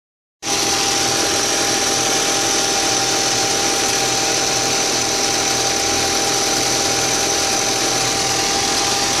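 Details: 2004 Audi A4 B6 1.8T, after a new water pump (cracked impeller, overheating) and new timing belt: steady idle dominated by hiss and whine with an uneven pulse about three beats a second. It is a rough idle with the cause unclear.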